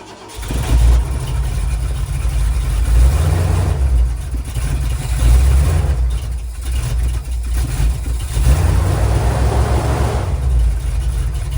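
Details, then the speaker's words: 1979 Ford Bronco started after the fuel line was blown clear and cranked until gas reached the filter housing: the V8 catches and settles into a deep, steady rumble with throttle blips, running cleanly once fuel arrives. "now it's got [Music] [Music] gas so it was just extra thirsty okay pass the first test"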